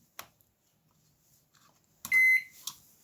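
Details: Convection microwave oven with a broken door latch, capacitor discharged and covers off: a single short high beep when plugged in at the wall, and the light comes on; the control board powers up normally.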